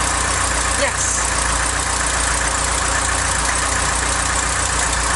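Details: Mk3 Ford Cortina Estate carburetted petrol engine at steady idle before the loose exhaust manifold nuts were tightened. A light, quick tapping ticks along at engine speed, typical of an exhaust manifold leak.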